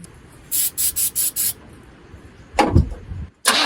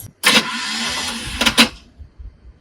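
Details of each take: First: Squarebody Chevy truck after hose changes and removing the zip tie from the choke; a few clicks and a cranking burst, then the engine settles into a steady, even, smooth idle and sounds better. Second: Squarebody Chevy truck, cold, after winter storage: about a second and a half of thin raspy whirring with no turnover; starter Bendix not engaging, likely weak battery, jump start planned.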